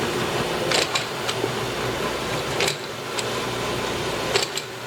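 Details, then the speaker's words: Grizzly G0763 6"x18" automatic surface grinder, servo-driven y-axis table moving out to its limit stops and reversing: steady motor hum with sharp ticks about every second. Automatic traverse is working normally. "the table the y-axis is currently moving out until it hits limits which over here over those is mainly hit that right there now comes back the opposite direction"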